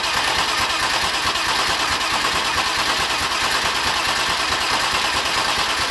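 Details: BMW M50/M52 straight-six turbo build, already filled with oil, cranked without starting before its first start to bring up oil pressure: even, steady starter cranking with no firing; normal priming crank.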